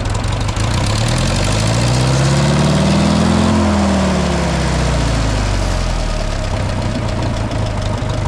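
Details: 2000 Toyota Avalon that had no spark on all cylinders, after cleaning a painted ground, oil change, rebuilt alternator and starter and new carburetor: catches quickly, swells and settles to a steady, even beat with no misses; running normally.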